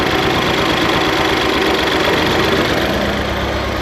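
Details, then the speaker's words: 1988 Ford Festiva with 1.6L EcoBoost from a Fiesta ST, stock turbo, warming up, fuel pressure about 80 psi: steady-pitch idle with unevenly wobbling beat and slight shake, poor throttle response and rev hang; owner guesses running rich. "That idle going down. got somewhat of a poor throttle response, and with that it does like a slight rev hang. So other than that, seems to idle decently. There's a bit of a shake."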